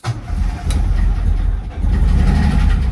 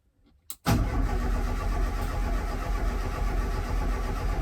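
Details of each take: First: Escort RS Turbo not run since 1996: with brake cleaner sprayed into the filter it catches and runs rough for a few seconds, so spark and electrics are fine; fuel supply fault, relay and pump to be tested next. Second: Escort RS Turbo not run since 1996, first start attempt after oil change with HT lead disconnected: about five seconds of even cranking at roughly four beats a second, turning over freely without firing, to build oil pressure.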